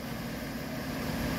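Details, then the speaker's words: Car idling while warming up after new water pump, tensioner pulley and idler pulley, whose looseness likely caused earlier noise: steady even low rumble, no knocks, misses or ticks; smooth idle, checking coolant holds once hot. "we're going to let her uh get up to temperature let the thermostat open get her good and hot and uh see if she'll hold"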